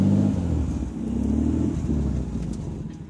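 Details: 1993 Toyota Supra twin-turbo: a low droning hum under the road rumble from the left front wheel. It was caused by the worn old hub, and the noise was gone after a new hub was fitted.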